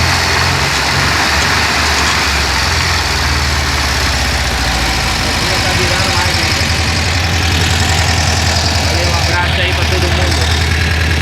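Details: VW Kombi engine after replacing a broken ring that caused a noise: even, steady idle with smooth low beat and no knocking or rattle; running normally after repair.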